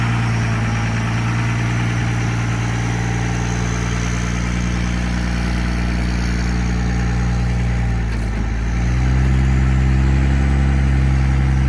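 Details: 1971 Dodge Charger Super Bee with a 383 big-block V8, leaking core plugs and radiator, cold start in the driveway before the engine is pulled. A deep, even burble with a steady lope that lifts slightly near the end: healthy, smooth idle.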